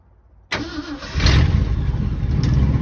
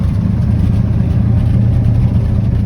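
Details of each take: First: 1967 Ford F-250 Highboy, 352 V8, four-speed, 82,000 miles, revived after sitting, fuel cell and pump feeding the carb, no choke: short cranking, then a loud, rough low rumble struggling to stay running; hard start. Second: 1967 Ford F-250 highboy brush truck, 352 V8, four-speed, revived after sitting abandoned, on an aftermarket fuel pump: smooth, even low idle with a steady beat and no knocks or misses, with slight smoke after blowing debris from the mufflers.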